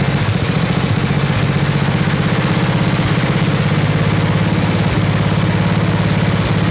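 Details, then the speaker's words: Toro 826 snowblower, 8 hp Briggs & Stratton, freezing cold: governor rod pushed against spring to raise rpm; quick, evenly spaced firing at steady raised speed, no knocks or stumbles; runs healthily. "it puts some pressure on it trying to fight against the the spring and the governor and it should make the rpms go up quite a bit"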